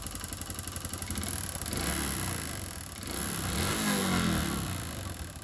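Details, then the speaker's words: Honda Pop 110i, about 25,000 km, after cam chain replacement: steady rapid metallic knocking about four a second at idle, rising with revs; engine ran without oil after oil pump gear failure, scoring the piston. "Substituir a corrente de comando, todo o reparo, só que depois que funcionamos ela pegou, mas ficou com batido no motor, ó. Então desmontamos aqui a parte de força, já identificamos que o pistão, né, tá arranhado, ó."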